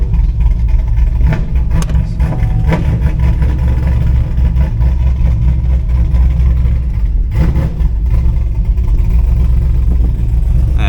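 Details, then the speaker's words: Chevrolet Camaro on day three of chasing a misfire, engine now surging with throttle spiking by itself: deep rumble with uneven beat and stumbles, misfiring badly at start of a drive, no code set yet. "see it's already misfiring again all right let's just drive it around the block and see if it'll throw a code"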